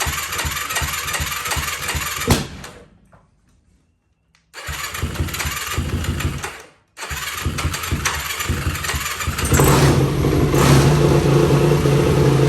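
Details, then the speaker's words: 2004 Yamaha YFZ450 with zero compression reading, after cleaning the spark plug: uneven popping bursts cutting out twice, then rough surging run; sputtering but running better than before, cause unsolved. "and it's spittering and sputtering a little bit but at least it's running this is running better than it has before"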